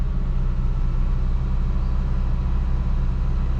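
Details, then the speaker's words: Truck warming up after a transmission rebuild: the engine holds a steady, even high idle with no misses or knocks; rpm unknown because there is no tachometer. "the engine runs quite smoothly when it's in this high idle"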